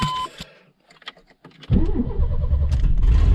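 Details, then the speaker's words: 1994 Chevy S10 plow truck, 4.3 V6, 5-speed, 4x4, in neutral: brief warning chime, clicks, then quick strong crank and start into a strong idle after starter replacement; alternator howling with heavy AC ripple noted. "man, that whipped that thing over like nothing."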